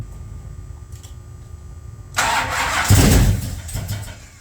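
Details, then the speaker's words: Plymouth Road Runner sitting a year after engine overhaul, fuel poured in by hand to get it going: quiet, then cranking, a few loud firing bursts, and it dies. Brief start on poured fuel only, a fuel supply fault. "This is my solution to making fuel happen. Alright, it should start on that."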